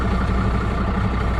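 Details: MAN HGV truck just collected from another repair, started for a road test: deep, steady diesel idle with an even beat, no knocks or fan roar; normal idle.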